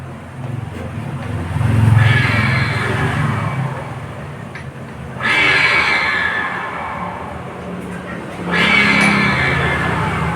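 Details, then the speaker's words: Scooter CVT being revved three times with the CVT assembly installed, giving a loud, rough, rushing roar; much quieter with the CVT removed and the wheel spun. Cause: worn CVT bearing. "Tapi ketika ini terpasang bunyinya sangat berisik sudah jauh beda ya suaranya ini penyebabnya penyebab suara yang berisik tadi itu karena lakernya aus being cvt-nya aus"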